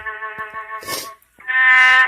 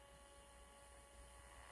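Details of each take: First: Melody in Motion Cellist figurine's small internal tape player after refitting the rubber band that drives it: clear, sustained melody at steady pitch with no drag, warble or dropouts. Normal playback; the missing belt was the whole fault. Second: Melody in Motion musical figurine, opened for repair: faint steady motor hum and buzz with no music; the motor turns but there is no sound. A substitute speaker also did not work, so the speaker is probably not at fault.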